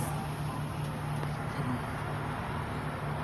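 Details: 2008 Toyota Sienna van: faint, steady rhythmic beat from the engine bay over a low idle rumble with road hum; owner wonders if it's the muffler, fan or alternator; source unclear.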